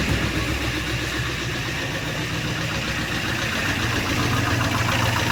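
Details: 2015 Camaro SS, first start after a replacement 6.2L V8 swap (old block holed): steady idle with light quick ticking, three to four per second, suspected lifter tick while building oil pressure, quieting as it runs.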